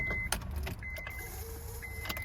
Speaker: and there's no start it starts sometimes but most of the most of the time we're not getting any start like now you're getting that b buzzing sound coming from the dash as you can hear so the reason for that is that the ignition switch